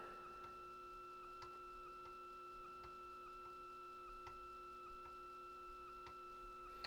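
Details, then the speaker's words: Commodore 128DCR internal floppy drive during an alignment check, 100 on the track read: soft, evenly spaced head ticks over a faint steady hum, no grinding or chatter; drive still perfectly aligned and tracking normally, machine in for blown fuses and power supply troubleshooting. "in saying that this drive looks like it's still perfectly aligned we're getting 100 with the on track read so that's always a good sign"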